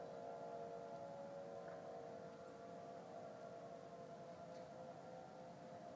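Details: Faint sustained wailing drone of clustered pitches over quiet background, Denver CO, early November 2012; heard same time and weekday a month before, with "powering off" sound at end; owner assumes man-made, origin unidentified.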